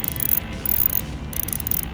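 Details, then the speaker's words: Aurora T-Jet Vibrator slot car after cleaning, oiling the axles and new tyres: fast rattling ticks in bursts as the rear axle with drum is spun by hand; the reed mechanism's hammer is striking the back drum, to be tweaked up so it spins freely. "I'm just spinning the the back axle with the drum on it. And you can hear that the hammer part from the read mechanism is hitting the the the back drum."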